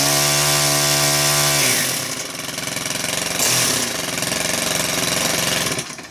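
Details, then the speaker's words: Stihl KM130 4-Mix engine after valve adjustment, fast idle no choke: revs high and ragged, speed wavering and sagging before dying, starts poorly; carb kit or fuel pump diaphragm suspected, not confirmed. "It's still starting kind of weird there, right?"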